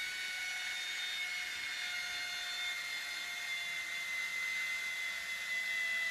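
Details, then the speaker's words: Air Hogs Wind Flyer toy plane rigged for round-the-pole tethered flight, 2.7 V supercapacitor wired permanently to the motor: thin steady high whine as the motor spins free without propeller load; one of the gears is probably spinning or slipping. "while she's really annoying you must be one of the gears is spinning or slipping"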